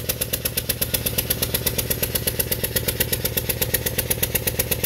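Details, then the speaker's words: 2017 Subaru Outback, 70,000 miles, idling: chuffing, uneven beat with recurring stumble on one cylinder; misfire from a broken ignition coil. "Oh, yeah. There's the coil. The coil's broken."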